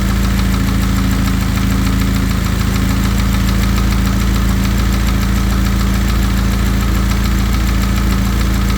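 Loud deep idle with a steady knock about three to four per second under the engine note; knock at idle, cause not confirmed.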